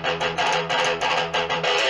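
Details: Cubo Meteoro Atomic Drive 20W guitar amp after repair of noisy potentiometers: strummed electric guitar comes through clean and full, no hum, crackle or hiss between chords; amp healthy.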